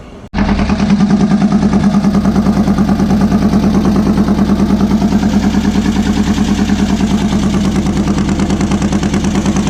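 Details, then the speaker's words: VW beach buggy engine idling after new plugs, leads and distributor arm: lumpy, uneven idle with beats dropping out, still misfiring, owner thought over-fuelling; the cause turned out to be a blocked idle jet in one carburettor. "as you can hear from it running it's misfiring still I think it now maybe over fueling"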